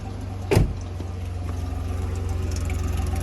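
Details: Cheap Jeep Wrangler JK idling after new quiet muffler fitted: rhythmic puffing chuff on every pulse, exhaust leaking at a bent pipe joint and clamp; pipe needs straightening and new clamp.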